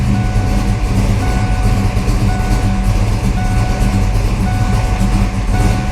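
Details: 1992 Ford Mustang LX, 434 stroker with MSD ignition and fuel pump controller, after replacing a bad red top battery that caused low-voltage cutoff during cranking: steady low engine drone, even pitch, no stumbles or cutting out; normal running.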